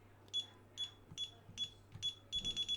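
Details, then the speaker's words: DSC home alarm keypad, code entered manually after programming section 017 option 8: short high beeps, one per keypress, ending in quicker chirps from the keypad only, no siren squawk; normal, chirp only with quick buttons. "so now if i enter the code normally it doesn't do anything it's a like your regular alarm"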